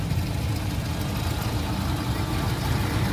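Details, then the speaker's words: 1994 Suzuki Katana SJ410 engine bay: small four-cylinder idling with low even putter, no knocks or rattles; runs smoothly. "Ini mesinnya masih nyala, suaranya halus banget."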